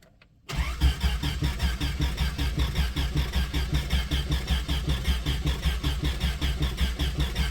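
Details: 1995 Plymouth Voyager, 209,068 miles, sat about four years, straight-piped: starter spins steadily about a hundred beats a minute but never fires; owner suspects distributor timing is way out.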